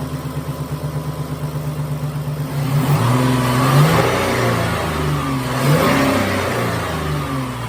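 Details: 2011 Dodge Nitro V6 after replacing worn rocker shaft and rockers that caused lifter noise and misfire; smooth idle and clean revs, no tapping, all six cylinders firing, repair successful.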